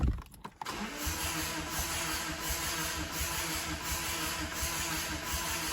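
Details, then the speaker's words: Mazda 6 non-runner, no fault codes, flat battery on booster pack, compression test while cranking: uneven lopsided beat, one stroke softer; one cylinder reads about 100 PSI below the others, low compression. "Sounds like there's very little in there, guys. Okay. We have some issue here anyway. We're down, we had 250 or so PSI, and the other ones were down, sorry, just over 150 PSI."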